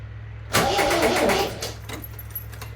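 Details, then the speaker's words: MGB GT stored about 12 months untouched and heavily oiled, first start attempt: short, uneven, clicky crank for about a second. Flat battery was first suspected but ruled out; called a clicky starter. It later ran on choke. "oh no starter sounds a bit wonky but it's all right that's flat battery it's not flat battery it's just a clicky starter"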